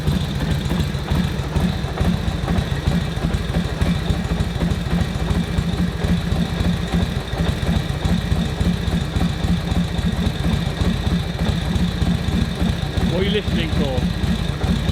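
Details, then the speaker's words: 1941 Harley-Davidson WL 45 cubic inch V-twin: lumpy, deep thumping idle that speeds up and smooths as the idle mixture screw is turned one notch at a time during tuning after ignition timing setup. "Hear that going smoother? Smoother. Just clicking it one notch at a time on your idle mixture screw."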